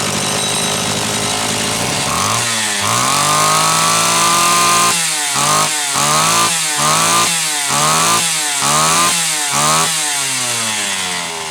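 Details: Homelite Super XL chainsaw test run after starter spring repair and a bad new spark plug replaced; it was previously running lean: crisp throttle blips that return cleanly, slightly rich on the high side on purpose to warm up.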